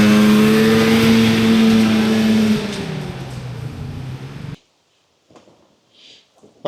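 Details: 1997 Polaris Indy Trail Touring two-stroke snowmobile, resurrected with carbs cleaned and oil pump bled, stock clutching, test ridden on a lawn without snow: strong buzzy drone climbs, holds, then drops away, smooth and even with no misfire; normal running under load.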